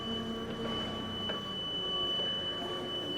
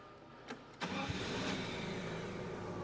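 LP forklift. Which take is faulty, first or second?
first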